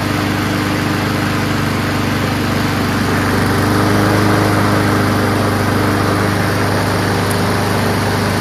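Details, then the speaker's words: Honda Quadra Blade GCV160 RWD self-propelled mower, a curbside find, started on fresh gas with oil full and good compression on the pull. Steady, even single-cylinder buzz; engine sounds healthy, normal running. "give it a pull and see what happens sounds good when you pull it though you know good pack"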